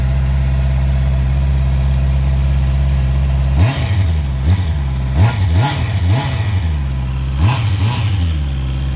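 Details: Heavy motorcycle after exhaust repaired, polished, painted and reinstalled: deep smooth idle then several crisp blips rising and falling cleanly, full note, no leaks; healthy exhaust.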